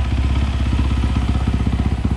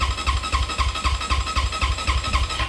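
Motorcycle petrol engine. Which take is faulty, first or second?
second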